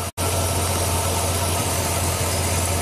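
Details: 2003 Chevy Silverado Classic V8 that had an intermittent no-crank and overnight battery drain, starting and running after the fuses were put back in with no parts required: smooth, even idle with a steady low rumble, no misses, knocks or stumbles; normal idle.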